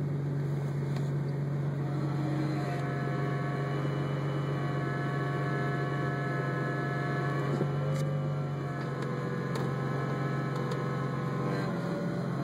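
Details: 2003 Roush Stage 1 Mustang; steady low hum with a faint tone drifting up and down over the engine; strange clutch noise, cause unknown.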